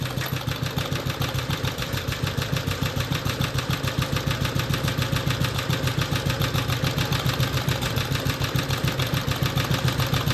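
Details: BSA/Villiers 119cc Sloper two-stroke, after carburettor/engine service: on a hot-start test (engine not very hot), it holds an even, regular putter of about 200 beats a minute with breather sound; normal, clean idle.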